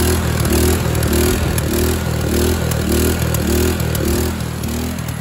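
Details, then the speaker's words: Craftsman LT2000 lawn tractor with Kohler Command engine and replacement used carburetor: engine races at a high, hunting, surging speed well above its set speed; governor arm not yet adjusted and suspected. "it's got a little bit of an issue of racing you see like right now this is what it should be running at when you put it at po it just races"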